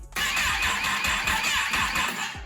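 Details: Rebuilt wrecked 2021 Kawasaki ZX10R first start after fueling and fuel pump gasket, exhaust view, in Rain mode: engine catches and revs with uneven, stumbling beat, runs a bit rough, not as loud as expected; cause not identified.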